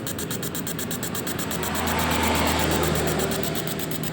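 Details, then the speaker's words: Honda Scoopy scooter with hard-starting complaint runs rough, sputtering and stumbling instead of idling smoothly. Spark plug replaced, injector spray and fuel pump look good, fuel filter changed, yet the misfire persists; a clogged injector is suspected. "Busi bagus, injektor bagus, tapi kok masih mblebek enggak karuan."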